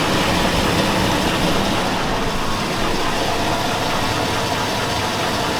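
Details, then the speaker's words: 2002 Chevy Avalanche 5.3L V8, about 217,000 miles, engine warm: rough idle with dull, fairly regular knock about four a second from low in the engine; owner suspects bottom end rather than lifters, unconfirmed. "yeah here's that knock no that's warm"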